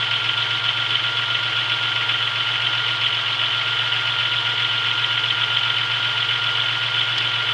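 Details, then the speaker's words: 1996 Chevrolet Beretta with 3100 V6, cold start after sitting 2 days, days after a main seal replacement with new harmonic balancer and serpentine belt: steady cold idle with a faint light knock in the engine note. Knocking less than before; cause unknown. "seems like it knocks a little less to not as bad as it used to which is pretty good the less knocking the better"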